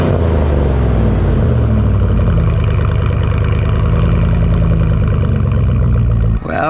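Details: 2001 Dodge Dakota 4.7 L V8 after muffler delete (straight pipe replacing muffler, catalytic converter kept): deep loud rumble at steady idle with even beat, much louder than stock. Loud exhaust after muffler delete.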